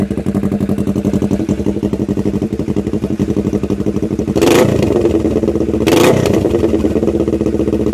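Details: 2007 Kawasaki Ninja 650R, before exhaust replacement. A Yoshimura silencer missing its end cap, baffle and packing is welded via 2-inch pipe to the header. Harsh, raspy popping at idle that grows much louder and sharper on two quick throttle blips.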